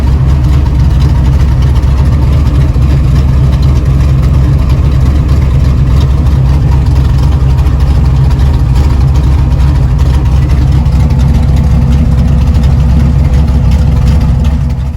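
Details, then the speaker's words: Truck idling steadily after an overheating issue was fixed, now running a lot cooler, with the cooling fans finally pushing plenty of air in a constant even rush; healthy idle with cooling fans pulling hard. "I know you guys hear the fans and all that, but these things are finally pushing some air."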